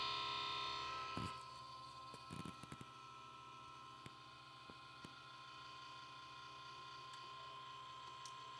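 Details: Steady high-pitched electrical whine with scattered crackles and ticks from an Xbox One power supply adapter; buzzing adapter, cause unknown to owner.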